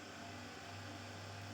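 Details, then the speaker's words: Monster Abra A5 v16.6 gaming laptop cooling fan making a constant growling noise, worse at first start: steady low droning growl with buzzy rumble, strong vibration reaching the laptop case; worn fan bearing, replacement needed. "Bu fanın yenisiyle değişmekten başka çaresi yok. Çünkü şu anda bakın elime inanılmaz bir titreşim salgılıyor. Yani laptopun kasasına kadar ulaşıyor bu titreşim."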